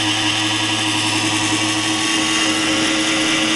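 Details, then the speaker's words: PowerSpec computer with a new Corsair CX750M power supply at cold start: steady loud whirring grind with a harsh high edge, stopping once Windows loads; happened with previous PSUs too, cause unknown. "see as soon as it gets just some screen it'll stop and everything is fine and it's quiet again actually it usually shuts off even a little bit before this"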